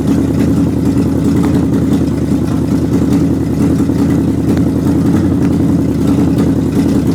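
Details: 360 engine, new belts and hoses, cooling system filled: even, steady drone with constant loudness and no knocks or squeals; runs smoothly, though some popping and missing noted, suspected carburetor gasket.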